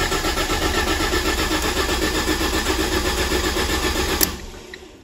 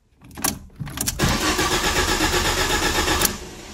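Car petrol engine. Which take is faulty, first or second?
first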